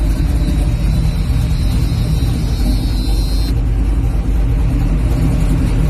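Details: 1978 Chevy Malibu, 350 V8 with 5-speed swap, cold start with no choke, through a Summit G-body exhaust and Speedway Flowmaster-knockoff mufflers: a deep, loud rumble that never settles as the engine keeps trying to die out.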